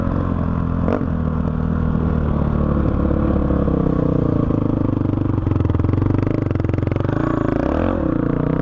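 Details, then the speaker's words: 2005 Honda CRF450X single-cylinder that sat 10 years, ridden after richening the needle one notch (two from bottom) and raising the main jet to 190 with a 45 pilot: strong even bark, clean throttle pickup, no stumble or bog; running great. "so as you can see this thing is an absolute beast and it is running great"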